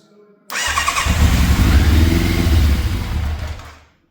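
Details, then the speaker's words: Fire-damaged 1988 Yamaha FZ750 Genesis after carburetor rebuild, on full choke: catches and hunts up to about 2000 rpm then sags toward 1000 and cuts out as choke is removed; rough firing. "okay so it is still not running right whatsoever because you can well you can hear it it's like it's hunting it's reving you know it's going up to like 2000 r pm."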